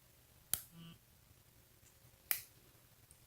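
Two sharp clicks as the switch flips, with a short buzz after the first; the switch and vibration work normally.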